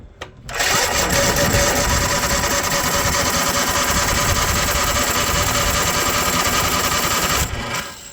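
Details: Cub Cadet zero-turn mower with Kohler engine, after repairing a rubbed-through wire that left no voltage at the fuel solenoid: fires after a brief crank, settles into a steady, even run with no misses, then shuts down cleanly. Healthy.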